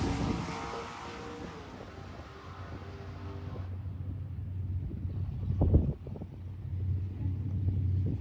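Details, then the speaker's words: Turbo LS-swapped SN95 Mustang drag car with a new motor and heads, Holley EFI and Powerglide, on a test pass at the track. Deep V8 rumble off the line builds only slowly. Boost comes in lazily. "not bad it seems a little lazy getting on the chip"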